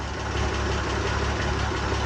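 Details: Oliver 1755 tractor after winter sitting, cold start on recharged battery: deep, steady rumble holding even without missing or surging; oil pressure and charging good, idling well.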